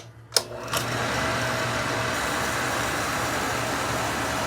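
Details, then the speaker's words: Oil furnace after running out of oil, reset button pressed; the burner motor spins up to a steady hum with no flame lighting and no oil getting through, probably due to air bubbles in the lines. "Okay, you hear that? It's running, trying to go through, but no oil is going through the system, probably because of the air bubbles."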